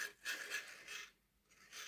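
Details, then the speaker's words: Hornby R.372 Class A4 "Seagull" model locomotive with ring-field motor and loose wheels, on test track: faint rasping scrapes in bursts every half second; owner says no noise with body off, suspected rods hitting body shell, not seen. "Yeah, that sounds like the rods hitting the body."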